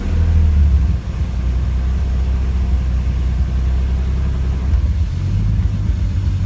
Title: Idle misfire